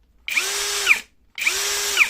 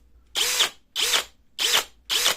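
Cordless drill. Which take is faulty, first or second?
second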